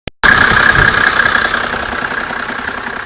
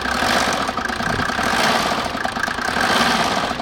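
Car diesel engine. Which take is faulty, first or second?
first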